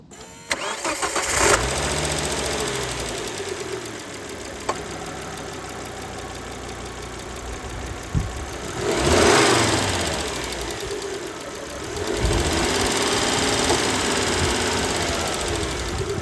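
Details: Volvo V70 2003 with B5244S2 petrol engine: a light, fast ticking continues at idle after start-up and through two brief revs. Engine ticking noise.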